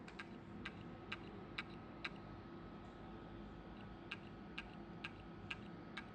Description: Hard drive 1.8 of Toshiba, new one, making weird noise, it's was working 2 day fine, and after that it's making noise from hard drive and says on the screen that is not found the hard drive, but it's new, how this is happening???